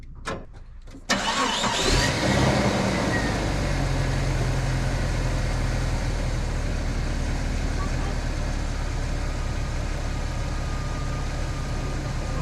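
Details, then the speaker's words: Ford F700 dump truck that sat for 20 years, on a jump box: a few weak clicks, then a long steady starter grind with a low churning beat; it never starts, not enough battery power. "oh not enough juice hold on okay no we have to hook a jeep to it"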